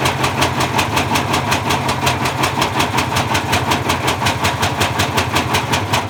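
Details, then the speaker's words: Bosch Classic 6 1200 Express washing machine hot-wired straight to the motor, top ballast removed, objects inside: heavy regular banging about three times a second over the motor; drum spider broken, drum loose. "so i think somewhere along the line there we lost the spider at the point where it was going fast and slowed down it's gone completely loose inside and i think it the spider just fell apart there"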